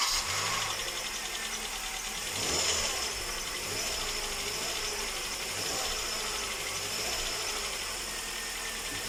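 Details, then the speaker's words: Cold Hyundai Solaris petrol engine after sitting a day, idling with busy metallic knocking, then switched off; knock persists after timing chain replacement and valve inspection; owner unsure if valve or something rubbing. "ну вот ты слышал какие мысли так смотри я сейчас послушал как записалась ну вот этот звук но мне честно непонятно вот со стороны смотри звук такой типа или клапан какой-то подчеркивает либо этот секс задевает"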